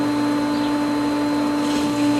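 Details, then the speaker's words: Pool pump at spring opening, skimmer valve partly opened into winterized lines: steady motor hum with an uneven gurgling hiss as air comes through the valve; the pump is air-locking and losing prime. "I don't know if the camera makes it out but I can hear the air coming through this valve"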